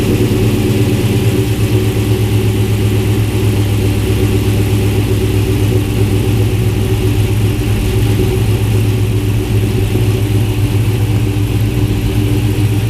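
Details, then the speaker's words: Cammed 2016 Dodge Charger R/T with new lifters, new JLT cold air intake, 392 intake manifold, JBA long tubes, catless mid-pipes: lumpy loping idle, deep steady exhaust beat, quiet top end with no ticking or knocking; normal. "as you can tell the engine up front is pretty quiet so that's probably because of the new lifters and stuff so it sounds pretty good"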